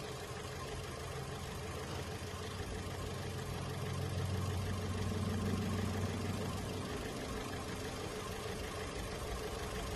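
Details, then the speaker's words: Holden Cruze idling with a dead misfire: an uneven, lumpy beat with a dropped-cylinder shake. The ignition coil appears to be shorting internally, making voltage spikes but not firing into the cylinder. "to me it looks like it's soaring internal because it's making spike making its voltage but it's not firing into the cylinder"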